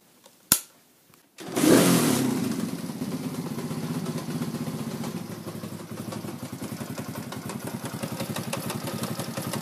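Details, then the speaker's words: Racer moped, likely 110cc, with a 2V91W engine that ran almost without oil: after starting, an uneven clatter of about four knocks a second comes from the gearbox, felt as blows on the shaft. It still shifts and rides; a cracked gear tooth is the cause. "Вот слышны какие-то стуки посторонние. Вот я пальцем держу вал и чувствую, за что удары приходятся прямо по нему."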